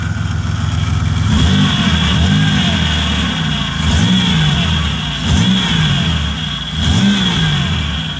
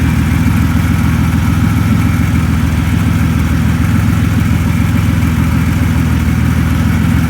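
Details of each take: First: 2004 Buick Century running after a custom power steering return line was fitted and fluid refilled: steady high whine over rising and falling revs, power steering pump noise while air works through. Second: 2004 Buick Century idling after a custom replacement power steering return line was fitted and the fluid topped up: steady, even idle with a smooth low drone, no knocks or squeals; no leaks found.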